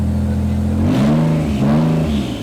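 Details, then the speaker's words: Nissan Z32 barn-find project (600hp) after full service, ECU dwell timing fix for coil packs, O2 sensors reconnected and blast pipes refitted: two quick clean throttle blips returning to steady idle, no misfire or stumble; healthy, normal revving. "Yeah, it's healthy."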